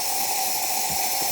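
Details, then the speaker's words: Jura Giga 6 super-automatic coffee machine after full service for an error code, steam/foam wand tested with no milk hose: steady even steam hiss, no sputter or pump strain, brief gurgle near the end; steam wand working normally. "we're just going to turn it on and foam's going to come out of there or steam I should say"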